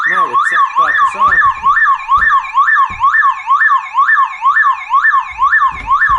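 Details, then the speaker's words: Aging car alarm: the car battery is disconnected to demonstrate that this triggers it; loud rising-and-falling electronic wail repeating about twice a second. "first step step was that I need to take that battery away that and there is my tongs what I use soon and first I take like this is like demonstration that how this alarm activates okay"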